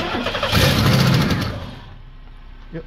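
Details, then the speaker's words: 1992 Buick LeSabre with Passkey 2, security light blinking, no start; a jumper wire fed to positive for the test: the engine catches, runs roughly about a second, then dies abruptly, an anti-theft fuel cut showing a Passkey fault, not the neutral safety switch. "So what we're going to hear, if it's a pass key issue and not a neutral safety switch issue, is it's going to start and then shut off. So we'll touch that wire to the positive, and it's going to run for a couple revolutions and then stall."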